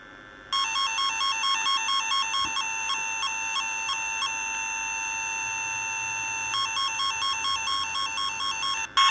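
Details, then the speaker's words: Repaired F set twisted-pair tone tracer, after a loose connection was wrapped: clean warbling two-note tone steady for about eight seconds without dropouts, working properly. "yeah it's working all right see you later"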